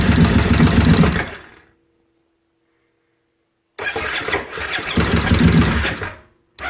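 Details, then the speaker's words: 2005 carbureted Kawasaki Brute Force ATV with plenty of fuel cranks in rough bursts and backfires but never starts; cause found to be a stator meant for a fuel-injected 2012 model. "See, got some backfiring going on. That's all it does."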